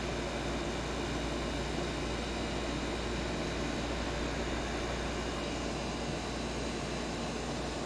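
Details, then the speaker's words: 1970s Westinghouse 6,000 BTU window air conditioner after an hour of running on a 70°F humid day. The compressor gives a constant low hum with steady rushing airflow, no rattles, clicks or cycling: normal compressor running. "Okay, so it's been an hour, and listen to this compressor. That sound reminds me of old refrigerators of my childhood, literally."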